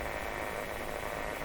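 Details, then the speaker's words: Philco 38-C7 tube radio during alignment, tuned toward the low end of the dial; steady hiss and raspy whistling instead of a station as spurious oscillation starts up; source still being hunted. "so I've tuned it down into the point where an oscillation starts up but we better listen to this weirdness starts up"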